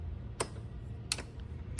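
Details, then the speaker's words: Kandi golf cart lithium battery pack reading 49.7V, plastics removed: sharp dry clicks about every two-thirds of a second over a quiet hum as the internal solenoid activates when the unit is turned on. Terminal voltage then appears, so the battery is good. "you can hear the selenoid activating. And from the outside, you have now voltage."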